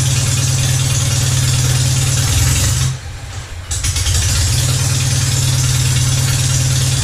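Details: Citroën 2CV twin after a wood sliver was cleared from the slow-running jet: even, steady low idle beat with a brief dip, then settles smoothly; starts easily but won't change over to the main jet on throttle. Normal idle.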